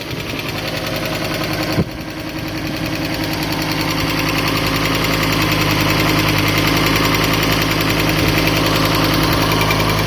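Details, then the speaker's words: Neglected, water-damaged Fiat Stilo Abarth petrol engine, stood still for a very long time, low coolant, warming up: fast even tick, two to three per second, over steady idle; suspected sticky hydraulic lifters. "It might sound harder on camera, but the ticking sound is, yeah, the car has stood still for a very, very long time."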